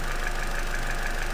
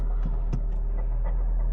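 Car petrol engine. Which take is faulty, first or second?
second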